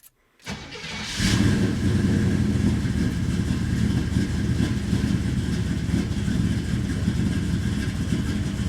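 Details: FiTech EFI truck just after a failed fuel pressure regulator was replaced (58 psi key-on): a short crank, then a quick catch into a steady, even idle. Running pressure is about 56, up from about 50 before. Normal start.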